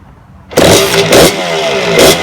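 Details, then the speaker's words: 1992 Suzuki RM125 two-stroke dirt bike's first start after a five-month build with a new carburetor, on choke after kicks: catches and crackles into three sharp, clean revs; healthy, though idle needs adjusting. "it sounds good it sounds really good hi I definitely need to race the idol"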